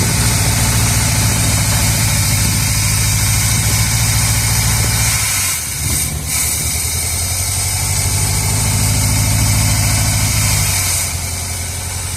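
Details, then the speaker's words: 1978 Chevrolet Custom Deluxe truck sat 21 years, just started, run briefly with no coolant: steady quiet idle with even low beat, a brief dip recovering smoothly; normal idle, though accelerator pump seal leaks fuel. "There it is. Oh, she sounds good. Quiet. Can't run it long. I don't have any coolant in it."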